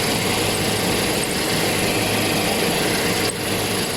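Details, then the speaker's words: Toyota Hilux idling with a faint, high cricket-like chirp heard with the clutch pedal released, which disappears when the pedal is pressed; the chirp is attributed to the clutch release bearing. "Hai tapi teman-teman ini dia bunyinya kayak ada bunyi jangkrik"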